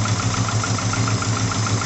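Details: Daihatsu Taruna first start after a top overhaul done for oil burning with white exhaust smoke: a limping idle with a regular stumble about seven times a second, a misfire from one valve set too tight, which lost compression.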